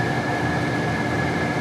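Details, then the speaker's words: 2014 Itasca Impulse RV, Coleman Mach rooftop A/C set to cool at 99 degrees inside; steady roar with thin constant high whistle on top, from a bad fan motor bearing. "Right now we have power hooked up to the garage, and so it's running. You hear that? Got that little bit of a whistle to it."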